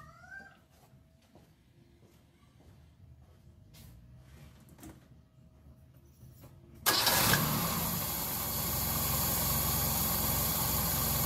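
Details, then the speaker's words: Car with carburetor at idle, low-speed jet under check for too much or too little fuel; engine catches and settles into loud lumpy idle, shaking a lot; rough uneven idle. "vemos que regula desparejo y tiembla mucho este es el chicler de baja y es el que regula el paso de nafta en bajas vueltas"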